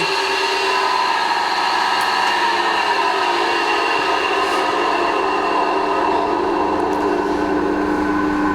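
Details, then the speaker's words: Combination milling machine, noisy horizontal spindle, gearbox ruled out: electric drive motor running with steady hum, rough gravelly rumble and scattered whistling; front motor bearing collapsed or about to collapse. "bet my balls that that front bearing has collapsed, okay, or it's about to collapse."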